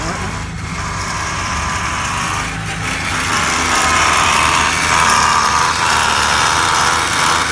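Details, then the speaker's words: Third-gen Camaro V6 with rough idle, AC switched on at max with highest blower: harsh rattling chatter at about four per second over the running engine; the AC compressor is rough and noisy. "The compressor sounds like hell, doesn't"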